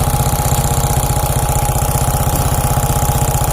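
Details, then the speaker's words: Hot Suzuki Shogun 125 idling, smooth when cold but rough after 5–10 minutes warm-up. Sharp, steady tick, about four per second, over the exhaust beat persists after valve and cam chain tensioner adjustment; camshaft and valve area to be disassembled. "Oke jadi teman-teman sudah mendengar ya suaranya kasar ngeletek disini jadi kita harus bongkar di bagian klep sebelumnya sudah saya setel semua nih"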